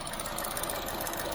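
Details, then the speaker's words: 2014 Chevy Sonic at idle after cooling fan replacement: quick light steady ticking, persists with AC off; suspected injectors, not confirmed. "Sounds like injectors. That's my guess. But if I turn the AC off, still making noise."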